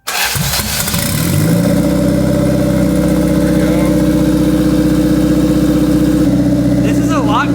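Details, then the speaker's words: 1991 Toyota Corolla turbo build, no-start traced to missing power to ECU and fuel pump, relays jumpered: brief crank, then it catches at once and settles into a steady, even fast idle with no stumbling; starts and runs properly. "We determined that our no start problem was a problem of power to either the ECU or the fuel pump or both. actually both. So, we jumpered our relays to get around it and now it will fire off."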